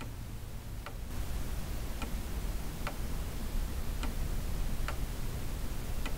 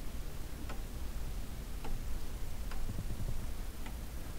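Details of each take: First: Weight-driven pendulum clock, hammers bent out of line during handling, said by previous owner to strike: steady tick about once a second with no chime or strike; going train runs but strike side stays silent. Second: Pendulum chime clock (Westminster/St Michael's selector), weights and hammers just refitted, not yet leveled: soft tick-tock about once a second, slightly uneven between beats, in a quiet room; movement running fine.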